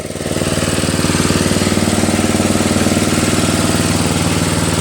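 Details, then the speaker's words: Toro Wheel Horse 825 riding mower, Briggs 8HP, after new battery, carburetor replacement and throttle linkage fix, while riding: firm even single-cylinder thumping holding steady after brief start, no misses or knocks; healthy. "But it handles very well. Engine runs really well."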